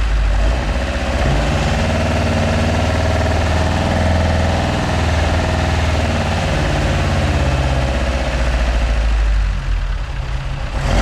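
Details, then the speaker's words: Ford MK2 Escort project with Pinto engine, carburettors only mildly set up to run and idle: lumpy, uneven idle with a loping beat, occasional rising revs and backfiring at the touch of the throttle; rough running from unadjusted carbs. "The carbs still need setting up, so that's why they're a little bit lumpy, and they are backfiring at the touch."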